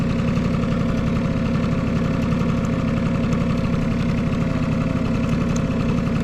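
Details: Vintage Honda Squash AB11 scooter, 12V electric start: smooth even idle with steady putter, no ticking, knocking or rattles; quiet, healthy engine.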